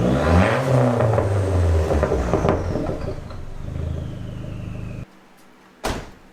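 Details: Dodge SRT4 after the exhaust was modified with a Vibrant Ultra Quiet Resonator, recorded in the cabin at about 2,000 to 3,500 rpm: a deep, even exhaust drone that climbs with revs and settles off throttle, with no rattle. The exhaust is normal, near the old muffler's volume but rattle-free.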